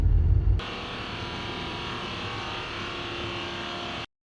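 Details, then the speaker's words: 2023 Porsche Taycan base model: after a brief low thump at startup, a steady even buzz holds on; appeared once hot weather brought air conditioning use, owner suspects the air conditioning is much louder than it should be. "so this is my 2023 Porsche taikan it is the uh base model it's a beautiful car but I've got this really weird sound when I start the car up I think it's something to do with the air conditioning"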